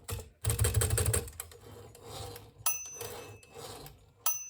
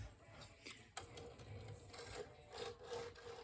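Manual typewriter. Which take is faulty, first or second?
second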